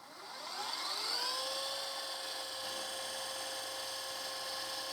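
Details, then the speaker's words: Panasonic PV-VS2841 SVHS VCR being repaired for stopping after seconds, tape in, fast-forward: smooth whir rising to steady high spin, no screech or wobble; transport working normally. "okay so it's playing hit stop and fast forward it's going to go into fast mode"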